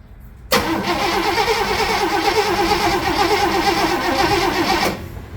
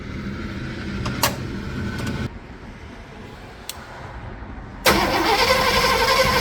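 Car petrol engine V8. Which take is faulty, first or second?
first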